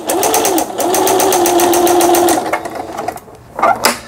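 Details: Singer 6160 sewing machine after repair: fast, even stitching clatter at roughly three stitches a second with a steady motor hum, then a clean stop; normal stitching.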